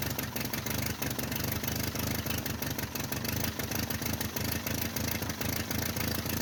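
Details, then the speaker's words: 1949 Ford 8N flathead tractor, auction buy, first start with unknown carburetor settings (carb possibly rebuilt), timing and plug gap unchecked: steady even low firing beat at fast idle, no knocks or misses; runs fine, possible exhaust leak at known leaking flange. "Not bad. Sounds like there might be an exhaust leak. I know that flange is leaking though."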